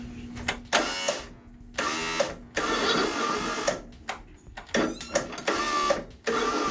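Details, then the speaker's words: Craftsman ZTS7500 zero-turn, Kohler Courage engine, fresh batteries, cleaned connections, jumper battery, starter lubed; short bursts of high free-spinning starter whir stopping and restarting, engine not turning; starter spinning without engaging, cause unknown. "Something funky going on in the starter. It was spinning so good. What is going on with this starter?"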